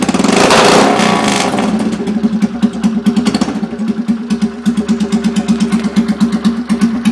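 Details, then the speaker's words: 2011 Polaris Sportsman 500 single-cylinder ATV with exhaust removed, running straight from the header during header-wrap work; loud, blatty thump revs up then settles to lumpy open-pipe idle; open exhaust, no muffler. "I'm going to see what it sounds like with no exhaust uh chokes off sounds like a trombone I like that"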